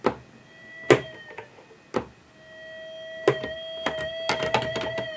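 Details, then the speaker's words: Rare Minitmoog synthesizer as received, before repair. Thin, steady filter whistles swell and fade with each key press amid clicks, with no oscillator tone. Owner suspects a filter problem, oscillating too hard; cause unconfirmed. No oscillator output. "Some of the presets change. We have no oscillators. So I think we got a problem with the filter."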